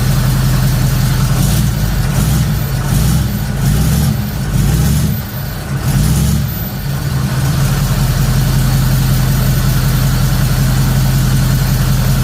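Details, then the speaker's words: Third-gen Camaro small-block Chevy V8 with new Summit computer, timing found near six degrees, revs up and drops back lumpy and slow to pick up; feels like something holding it back, lacks power. "but again it's just like something holding it back i don't know"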